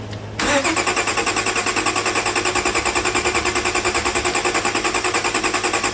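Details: Car previously crank-no-start, after repair with fuel supply reconnected and lock fitted: quick crank, catches at once, settles into steady even idle with regular beat, no misses or knocks; healthy.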